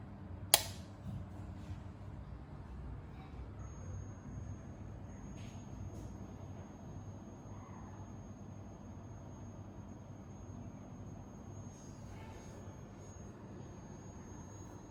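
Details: Hyperjuice charger powering a Thinkpad laptop while charging gives a thin, steady high-pitched whine/buzz; a different Innergie charger on the same cable made no such noise.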